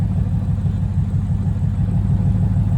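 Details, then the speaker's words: Car just refitted with transmission and clutch, running for the first time that day: low, lumpy idle with uneven beat and occasional stumbles; slight misfire of unknown cause, smoke seen earlier possibly from a bad valve cover. "It starts misfiring a little bit. I don't know why that is. I'm not worried about it quite yet because there's worse sounds out there."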